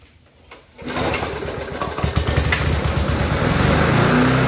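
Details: Rover 4-stroke lawnmower found dumped at the roadside, test-started after carburetor and throttle cable sorted and new air filter fitted: pull start catches quickly into a steady, even single-cylinder drone, no misses or knocks; normal running.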